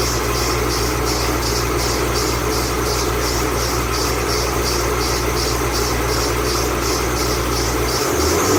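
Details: 2008 Bullitt Mustang, 8-rib serpentine belt, cold idle the morning after sitting overnight in the garage, under 30 miles driven: a high chirping squeal pulses three to four times a second, a slipping serpentine belt.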